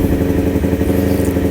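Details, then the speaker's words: Kawasaki Ninja 250 before carburetor repair, throttle test: revs surge and dip unevenly with a jerky, stumbling pull. Throttle hesitation from worn needle jets and unsynchronized carburetors. "Ini terasa banget ya nyendat-nyindat."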